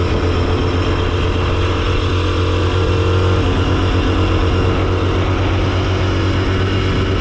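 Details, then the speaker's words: Motorcycle with twin-rotor Sachs-type rotary engine: smooth, even buzzing drone, double hum like two carpenter bees, no knocks or misses; normal running of a healthy twin rotary. "You can tell it has two rotors. It almost sounds like two humps, two bees, two carpenter bees in my engine."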